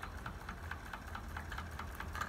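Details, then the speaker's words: Wilesco D305 model steam fire engine being started and warmed up to full steam: quiet chuffing exhaust with light, irregular knocks about five per second from condensed water in the cylinder, which is normal during warm-up. "we're getting close now it will knock a bit there will be a bit of water"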